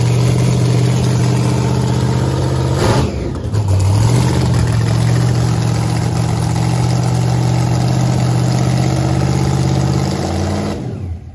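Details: Freshly repaired drag race car (Blazer or Ruby) with welded headers and vented race tank: deep, loud, steady lope with a clean rev blip and even return to idle; running strong after earlier breakdown.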